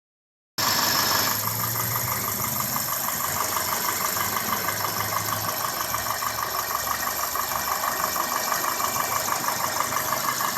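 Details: 2002 Toyota Corolla S, 1ZZ-FE engine, at idle: light, fairly regular ticking about three per second over a quiet, smooth idle; source of the ticking or clicking not identified.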